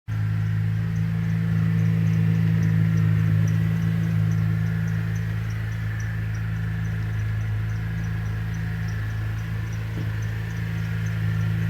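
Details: Pontiac G8 cold start idle with steady low hum and faint high chirp about three times a second, lasting until engine warms; belt, tensioner and pulley already replaced, noise returned after a month.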